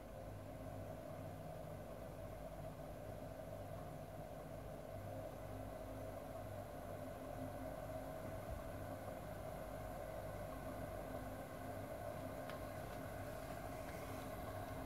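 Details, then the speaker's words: 40 kW induction motor with big rear fan driven by 4 kW inverter, frequency raised to match voltage: steady even hum with constant tone and airy fan rush, no surging or hunting; motor running stably. "there we go see it's stable again well you can hear the motor rpm as we cause that big fan on the back"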